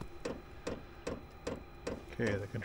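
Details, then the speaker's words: Chinese diesel heater with E08/E10 fuel error codes, during start cycle with glow plug heating, running rich and smoking: crisp regular dosing-pump ticks about 2.4 per second over quiet background while burner tries to ignite. "all right you can probably hear it fuel pump's running we're getting some smoke"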